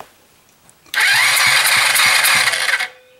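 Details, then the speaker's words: Chinese ATV single-cylinder cranking about two seconds at roughly four even beats a second with thumb over spark plug hole; steady strokes, strong pressure felt, healthy compression. "should you should feel the pressure try to blow your thumb off of that hole long as you feel some pretty good pressure coming out of that you should be in good shape"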